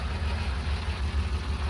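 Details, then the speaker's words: 1969 Porsche 911T RSR tribute with a 1977 2.7L flat-six on carburetors, rebuilt engine, stored for years: low, lumpy, steady idle with a slight pop in the beat; the carburetors need dialing in, and it also pops when driven. "you can see how well it idles so you guys hear that little it's got a little pop so someone could dial it all in and make it perfect"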